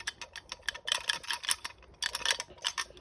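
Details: Honda CBR1000RR Fireblade clutch basket, off the bike during a gearbox rebuild, gives uneven light metallic clicking when rocked by hand, possibly from play in its rear springs. The owner is unsure if this is normal.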